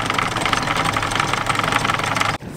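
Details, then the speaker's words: Sailboat diesel after cutlass bearing replacement, which cured a strange underwater noise attributed to slight bearing play and misalignment. Steady, even drone at cruising revs with no knocking or rumble from the shaft. Normal running. "she sounds good she sounds really good i reckon that loose just the tiniest bit of play and the colors bearing tiniest bit of misalignment was uh entirely responsible for that noise"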